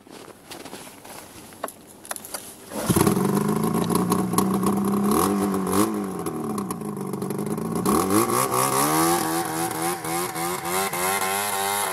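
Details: Two-stroke snowmobile after replacing the jackshaft bearings and two hours of riding: it starts and revs up and down with a raspy, uneven edge following the throttle. Abnormal revving noise; the owner suspects an exhaust leak, not confirmed.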